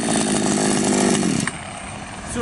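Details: Patriot 4518 chainsaw after replacing the plastic oil pump drive and re-tightening the loose oil pump: high, steady two-stroke buzz holds evenly then drops away cleanly with no bogging or sputter; running normally, chain oil now feeding well.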